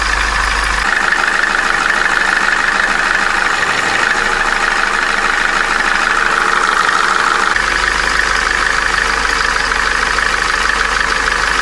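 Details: Opel Corsa D, A14XER 1.4 engine, 65,000 km, codes P0011/P0014, cold idle: fast, steady metallic rattle from the timing chain until the engine warms. The accessory belt tensioner roller bearing also whistles when cold and needs replacement.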